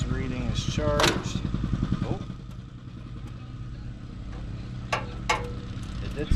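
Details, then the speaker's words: John Deere 110 mower, sitting about 10 years, cranked off a jumper: starter churns the engine at a steady uneven rate, about two and a half turns a second, but it never fires; gas smell, owner suspects no spark; crank no start. "It cranked over, but I could smell gas, but it didn't really seem like it had any spark."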